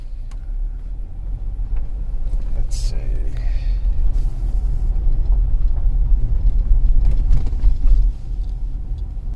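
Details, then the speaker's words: 2015 Kia Sorento 2.4L on a road test after a new front wheel bearing: steady low road rumble with no rising hum or growl from the front wheel; normal driving, no wheel bearing noise. "we'll see if our wheel bearing noise is gone which hopefully you guys will be able to hear we've got a new wheel bearing on"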